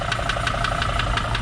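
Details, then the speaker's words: 2005 Mercedes Sprinter diesel van at idle after start-up: sharp metallic knock about five to six times a second from inside the engine, not a belt; the noise also speeds up with the engine while driving. "noise is pretty apparent and I know what you might say it sounds like a belt hitting something it's not I've listened and it's in the engine"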